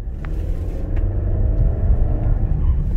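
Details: 2016 Nissan Rogue AWD with a scraping/rattle complaint while driving, on the test drive after the fix with fender washers and Fluid Film: deep steady road rumble under hard acceleration with no rattle or buzz.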